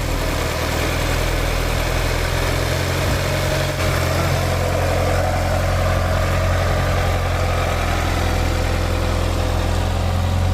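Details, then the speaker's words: 1989 Chevy S10 pickup, 2.5 four-cylinder, just revived, air cleaner off: even, low idle holding steady without misfires, knocks or rattles; quiet, healthy engine. "She's pretty quiet, you know, little four-cylinder 2.5. Little bit of motor noise."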